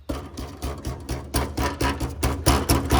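Tinny metal rattle in quick bursts, about two a second, as a loose exhaust heat shield is tapped.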